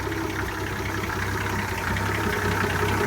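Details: 1966 Ford F100 at idle: light, fairly regular click about two to three times a second over the low idle rumble; source unknown.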